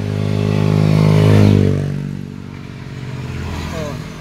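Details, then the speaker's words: Honda Click V3 scooter after torque drive bearing replacement for a noisy rear; pulls away with a smooth, even engine note settling at cruise, no rubbing or grinding from the rear, running normally. "Wala na guys napaka smooth na guys"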